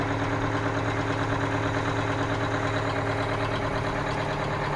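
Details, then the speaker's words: Aerodyne cabover truck with Detroit diesel, run after sitting 27 years, idling briefly to get some heat in it: low, even idle with a steady beat and muffled exhaust, no misses or knocks; normal idle. "there it is it's pretty quiet with those mufflers on there"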